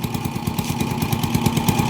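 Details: TMX 155 single-cylinder motorcycle with hard starting, misfire worse uphill, no pull or top end; owner replaced CDI without fix. Uneven stumbling beats with skipped firings; spark plug found defective, spark spreading to side instead of electrodes.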